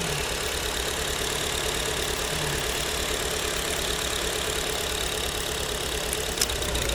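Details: Owner's mother's 2009 Acura TSX, idling unevenly with a hissy chuff about three times a second after breaking down; one cylinder misfiring, spark plug swap didn't help, injectors being unplugged one by one to find the suspect.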